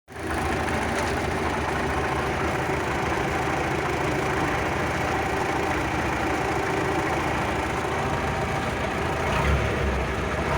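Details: D-65 diesel tractor engine: steady idle with a dull, rapid knocking running through it; a knock in the engine, injection pump (TNVD) suspected, cause not confirmed.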